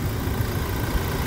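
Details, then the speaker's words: 2016 Toyota Hilux 2.8 GD diesel, 350,000 km, idling after a timing chain replacement; a low, soft, even idle with no rattle or slap, praised for its smoothness: normal idle. "escute a suavidade do funcionamento"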